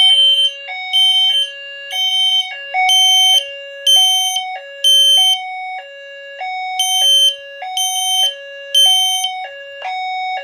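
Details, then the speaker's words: Notifier NFS2-640 fire alarm system test: after pulling a JCI JBG12LX pull station, System Sensor notification appliances sound shrill 3000 Hz smoke-alarm-like tones in a steady repeating pattern, no dropouts, working properly. "You get ready to hear the notification appliances going in 3000 Hertz. It's going to sound like smoke alarms."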